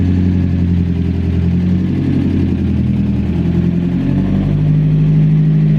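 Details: Mazda MX-5 Miata NA after a DIY turbo install, right after its first start. The four-cylinder holds a steady, even idle, then the revs rise smoothly near the end with no knocks or stumbles. It runs normally and moved under its own power.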